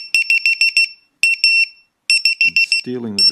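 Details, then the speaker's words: ViFLY Beacon lost-model alarm after a simulated crash drop: about six loud piercing high beeps in quick bursts, pausing and repeating, once no movement is detected for 30 seconds. "in 30 seconds we should get no movement detected in 30 seconds the alarm will go off"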